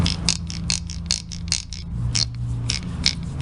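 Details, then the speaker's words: Whirlpool washer transmission, spin-cycle noise test: a rasping scrape repeats about twice a second as the shaft turns. The pinion no longer drops properly, so the shaft splines rub the pinion's internal splines. The fix is replacing the part until no rubbing remains. "Entonces empieza a producir un roce entre las trías del eje y las tide interna del Piñón y el sonido es el siguiente"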